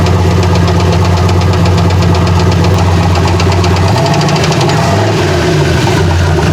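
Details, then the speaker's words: Turbocharged truck at idle, temperature and oil pressure normal: sharp steady ticking knock about three per second that changes and goes away as idle shifts; owners rule out rod knock, suspect valve train. "I'm baffled because a rod knock wouldn't go away"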